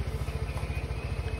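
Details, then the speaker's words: Second-hand motorbike after refresh: low even idle with no knocks, rattles or whine; normal idle, smooth and very quiet. "Eto yung ating na-refresh. Yun, smooth, tahimik na tahimik. Parang brand new na po ulit."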